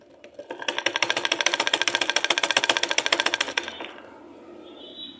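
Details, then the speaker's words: Sewing machine running: loud, fast rattling clatter, attributed to loose nuts on its underside linkage rods; excessive mechanical clatter before repair. "দেখতে পেলেন অনেক শব্দ হচ্ছে মেশিনটা।"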